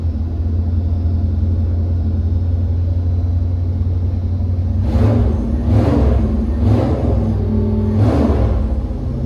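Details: Gen 2 Chevy LT1 350 that sat unloved for decades, first run on the dyno with a locked distributor likely carrying lots of timing: deep, even V8 rumble with a few clean throttle blips, no knocks or misses; runs healthy.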